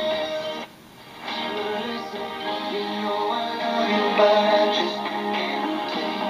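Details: GE P-975D radio on AM after unplugging a phone charger behind it that caused interference: music plays clean and steady with no hiss, buzz or crackle; reception is normal.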